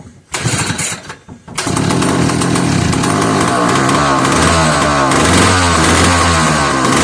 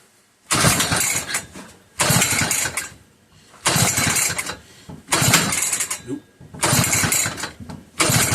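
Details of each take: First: Old McCulloch 1-52 chainsaw, freed up with strong compression, run in a vise after adding fuel. After a couple of pulls it catches and keeps running with a fast, buzzy two-stroke crackle holding steady. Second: McCulloch 1-52 87cc chainsaw, bar pinched in vise, run position, strong compression and spark: repeated hard pull-over bursts about every 1.5 s, each dying without catching; owner suspects flooding.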